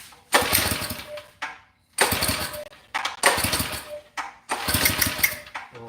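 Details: Mini bike small engine being started after kill-wire work, starter spray used: repeated cranking bursts about a second long with pauses, sputters but never catches; hard starting, owner suspects flooded.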